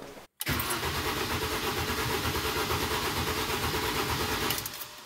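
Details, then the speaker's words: Mini with recurring hard cold starts, fuel rail pressure test with fuel pump fuse removed: starter churns about three turns a second for several seconds, never catches; cranks without fuel, reproducing the cold-start symptom; starts almost instantly with fuse refitted. "donc oui si je remets pas le fusible elle démarrera pas donc ça effectivement c'est ce qui se passait quand il faisait froid"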